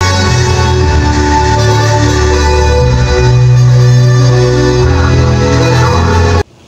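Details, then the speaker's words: Extreme amplifier after repair of volume crackle and uneven left/right channels: music plays clearly through the speaker with no crackle or noise when the volume is turned, confirming the fix. "na po yung left channel malinaw na po yung tunog Tapos kapag pinihit mo yung volume hindi na siya maingay Wala na siyang crackling sound"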